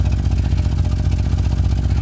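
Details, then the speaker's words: 1988 Chevrolet Suburban 2500 V8 after 6 years of storage: deep, uneven blubbery "bulu bulu" pulses from the rear muffler, one box has a big hole; exhaust leak. "The rear muffler, you can hear it. You can hear the bulu, bulu, bulu, bulu, bulu. One of the boxes has got a big hole on it."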